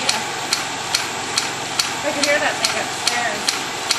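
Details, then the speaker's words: Beta Stirling engine running on blow torch: sharp, evenly spaced clacks a little over twice a second over faint hiss as it speeds up; something loose knocking, needs improvement. "they're clacking that's not good"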